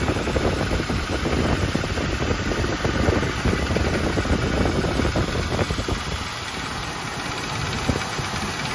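A light, fast tapping rides over a steady, slightly rough V8 idle and doesn't change through the clip; the tap's source is unknown.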